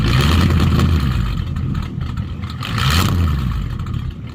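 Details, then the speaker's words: 1951 Mercury with a Rochester 2-barrel carb swap and mufflers deleted for straight pipes, heard from inside while rolling through the gears; deep loud steady exhaust rumble swelling with throttle; normal straight-pipe note, seems slightly fuel-starved. "all right so I was going to show you what it sounds like from the inside with the straight pipes I'm going to roll through all the gears real quick"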